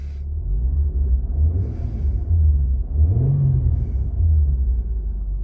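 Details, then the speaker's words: 2003 Mitsubishi Magna VRX TL, 163 kW V6, new custom in-house sports exhaust replacing a rusted stock 2.5-inch system, heard inside the cabin with windows up: deep, smooth rumble rising and settling with throttle, no rattles or drone; normal exhaust note. "Powering down the life support before I give you the final sound. Beautiful colour. Mitsubishi called that flame red. In the car now, windows up."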